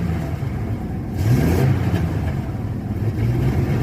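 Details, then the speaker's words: Chevy 4.3 L Vortec in an S10 with a new distributor, ignition timing turned fully retarded. It revs up, then stumbles and surges erratically, a worsening random misfire; the timing is to be advanced next. "Yeah. See there? It's stumbling. And that's how it would do. Very erratic."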